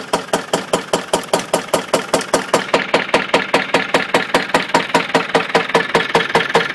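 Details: Land Rover Defender 200tdi turbo diesel idling: a loud, sharp, horrible knock repeating steadily about two and a half times a second.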